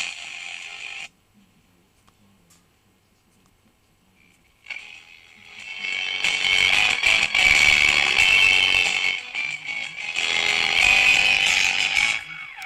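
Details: Aristona SA1020U valve radio with bad distortion at high volume, no antenna: station music comes through thin and harsh with no bass and a gritty edge on loud passages, attributed to output-stage distortion from wrong bias on the UL41 output tube; a damaged speaker is also considered.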